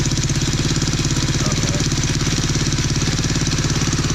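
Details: Tao Tao 110cc ATV quad with new carburetor and intake: quick even single-cylinder putter at steady raised speed on choke, no misses or knocks; normal running with choke on.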